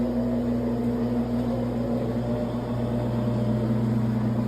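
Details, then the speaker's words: Electrolux LTE12 top-loader washer on the spin cycle: a steady, even motor hum with no knocking or grinding. It spins normally; the noise and oil leak occur only during agitation. "gente tá vendo, ó, para centrifugar, a máquina centrifuga normalmente, tá, ó. Ó, vendo? A máquina não faz barulho nenhum para centrifugar, porém na agitação ela tá dando aquele barulho."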